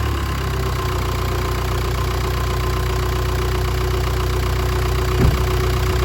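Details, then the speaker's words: 2010 Jeep Patriot 2.0 CRD (VW 2.0 TDI PD), first run after low oil pressure fix replacing oil pump drive, new oil filter and oil; steady, even diesel clatter at idle, no knocking or rattling; normal idle. "okay no nasty noises by the sound of it so we see all right there"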